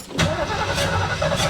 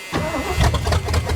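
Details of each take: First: 1973 Mustang Mach 1 after a car wash: starter grinds steadily with the door buzzer chiming, but the engine never fires; moisture inside the distributor cap from spraying water under the hood. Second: 1973 Ford Mustang Mach 1 V8 with points ignition, restarted after sitting with the battery disconnected. It cranks briefly and fires right up into a strong, lumpy rumble.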